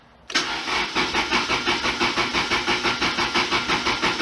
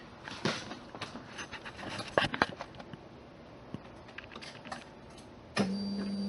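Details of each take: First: 1991 Lotus Elan after cleaning tank and installing fuel pump, with about 1.5 gallons fuel: even starter churn, about three compressions a second, no firing; injectors not doing anything, fuel rail to be pulled. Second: 1991 Lotus Elan after cleaning fuel tank and installing reassembled fuel pump: steady low electric hum runs about two seconds then cuts off cleanly; normal fuel pump priming.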